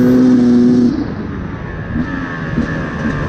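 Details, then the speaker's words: 2024 Beta 250RR Racing 2-stroke enduro with a Lectron carb, revved out: a clean moment, then uneven blubbering sputter at top end/full throttle from a rich mixture; fix is adjusting the power jet. "nd you can hear that it's rich on the top end. See, I revved it out and you can hear it sputtering on the top end."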